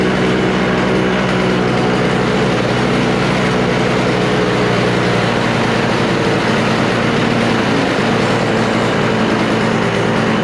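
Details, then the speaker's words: Refurbished Toro snowblower with R-Tek (Briggs & Stratton) engine, freshly fueled and warming up: loud, steady drone holding an even pitch with no misses or surging; normal running, though the idle adjustment may not be set right. "Oh, there it goes. I don't think I have that thingy in there set right for the uh um uh idle."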